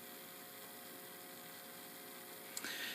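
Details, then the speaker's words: Geared DC motor of a drink-mixing bartender robot turning clockwise at its fastest speed, 15 rpm: quiet, even hum with no clicks or grinding; running normally. "here's my motor and it's turning clockwise sure enough and right now it's running at the fastest speed which uh this motor is a geared dc motor so it's running at 15 rpm"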